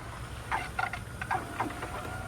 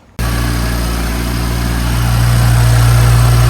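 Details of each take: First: BMW 335i running its coolant auto-bleed in accessory mode, heater at maximum, fan lowest, after holding the gas 10 s: quiet electric pump whir with scattered gurgles as air is pushed out; air in cooling system. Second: BMW 335i with M55 engine after oil filter housing gasket replacement, cooling system refilled and bled: steady even idle with smooth low hum, no knocks or misses; brand-new belt tensioner shows slight vibration but belt drive runs quietly; no leaks, engine healthy.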